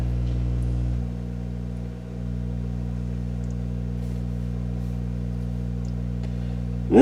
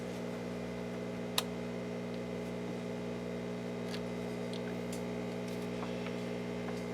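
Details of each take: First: Rogers Majestic R22020A / Philips F2C20A radio rebuild: constant low mains hum with stacked buzzy overtones, unchanged throughout. It points to a ground loop through the connected record player. Ground loop hum. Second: Restored Rogers Majestic R22020A (Philips F2C20A) console radio powered up to about 120 with mid light, no smoke; low steady mains hum, even buzz; normal transformer hum.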